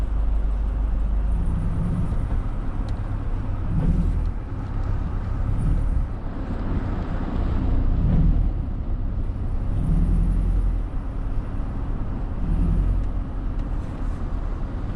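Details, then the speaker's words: 2008 Chevy Suburban on first test drive after an engine replacement, at half throttle with little power: deep, pulsing tractor-like drone rising and falling with throttle, plus a squeal; owner suspects an exhaust leak, not confirmed. "it almost sounds like there's a like a like an exhaust leak you know that tractor sound yeah"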